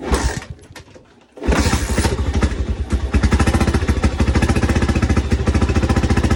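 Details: 1987 Honda TRX250X, first start after full engine rebuild: brief stumble, then strong even single-cylinder thumps; clean healthy normal idle.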